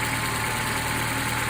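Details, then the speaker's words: Engine at almost 6k miles on Valvoline Restore & Protect oil, oil change delayed; steady even idle with only a faint tick, less ticking than on Supertech oil; running smooth, normal idle. "But, it's running smooth."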